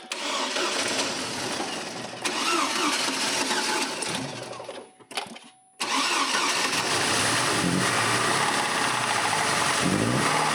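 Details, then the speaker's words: Farm engine runs ragged and uneven, nearly dies when the throttle opens and will not rev; owner suspects timing but says it isn't pinging, cause undetermined. "donne-lui un peu d' accélérateur, garçon, ça ressemble à un timing"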